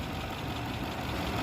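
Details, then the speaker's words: 2006 Lexus GS430 with a no-crank/no-start fault; scan showed a transmission range sensor circuit code. The engine was started by applying positive to the starter wire. Smooth, steady low idle with no knocks or misses; normal idle. "आप देखो, गाड़ी start होगी गाड़ी। ठीक है, गाड़ी हो गई स्टार्ट।"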